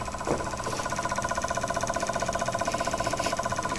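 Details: Onan generator with its electric fuel pump energized by jumping pin 9 to pin 5: even ticking at about 2.5 beats per second but no fuel reaches the carburetor. The pump was later confirmed bad.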